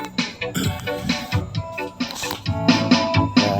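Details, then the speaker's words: DB Audio Set 502 amplifier after repair of a welding-like frying noise, played over Bluetooth and tested left and right; music now sounds clean with no crackle, hum or frying underneath; clean amplifier output. "Ayan, okay na siya. Try natin left and right. So, okay na siya. Malinis na yung tunog"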